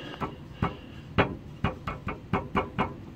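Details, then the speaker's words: 2002 Mercury Marquis sway-bar end link tapped by hand from underneath: sharp, hollow single knocks with short rattles, about eight in three seconds. Play at the bottom of the end link, same on both sides, suspected as the cause. "There's play at the bottom here of this end link, and I don't know what else it could fucking be."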